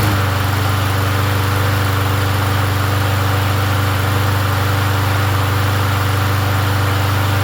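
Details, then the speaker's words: Yard Machines 21-inch push mower, 163cc single-cylinder engine, after oil change: starts first pull and settles into a steady, even run with smooth low hum and no misses. "go. Starts. First pull."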